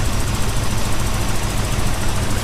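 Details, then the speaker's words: Toyota 4Runner at its first start. A low, lumpy idle with an uneven beat drops a pulse now and then: rough idle with one cylinder skipping, cause suspected. "Feels good. Besides that one down cylinder. Well, skippy cylinder, I should say."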